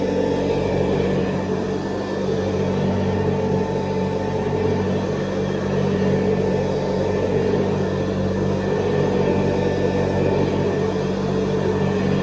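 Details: 1970s Hoover Convertible upright vacuum, recently rebuilt, re-lubricated and cleaned, with new bristle strips and a 12-blade metal fan, on high: a steady, even hum at constant pitch with smooth airflow, no grinding or rattles; normal running.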